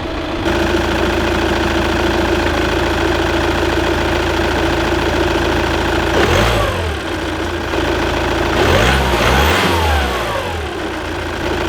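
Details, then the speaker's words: Volkswagen Passat diesel at idle, clutch pedal pressed then released, with two throttle blips; very subtle light knock in the beat, owner suspects the clutch. "this is my foot on the clutch and this is my foot off the clutch I don't know if he can hear that there is a very very subtle knocking noise"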